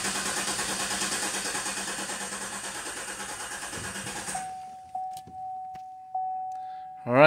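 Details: 2015 Cadillac Escalade 6.2L V8 with a cylinder 3 misfire, crank-no-start during a relative compression test: the starter cranks steadily for about four seconds but compression pulses swing unevenly, pointing to one weak cylinder, not a lifter.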